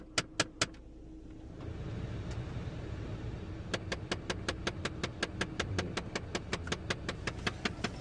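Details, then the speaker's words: 2017 Jeep Compass, engine idling with blower on: rapid, even clicking from behind the right side of the dash for a few seconds when recirculation is switched on; faulty recirculation door actuator. "Turn on the recirculation door. It's flashing."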